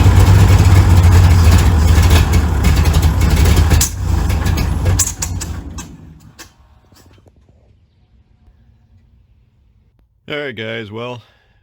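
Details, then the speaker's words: 1951 Brockway truck, previously seized engine freed after pickling, running with electric fuel pump after freeing stuck carburetor float: runs hard about 15 seconds then sags and dies; electric fuel pump failed. "had uh a whopping 15 seconds of excitement, and uh right when we started to get excited, the electronic fuel pump left the chat."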